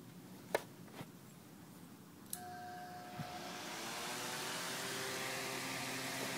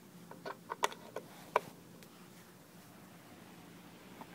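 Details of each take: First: Small fan run on an 1100 W modified sine wave inverter clicks on and spins up with a steady electrical buzz and hum over the airflow; the motor runs inefficiently and hot, with no hum on a pure sine wave inverter. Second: Fan on a 300 W pure sine wave inverter runs with a quiet, even whir and no hum, smoother than on wall power, unlike the inefficient humming on a modified sine wave inverter.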